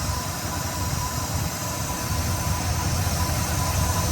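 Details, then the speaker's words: 1971 Oldsmobile Delta 88 Royale V8, first start just after installing a remanufactured Rochester 2-jet carburetor, still cold, air cleaner off; low, steady idle burble with an even pulse and no knocks or misses, running happier than before. Normal idle. ">> That fired up quick, huh, Xander? >> Soon as I got fuel up to it. >> Yeah. >> Very nice. >> Very happy. >> Way happier than it has been."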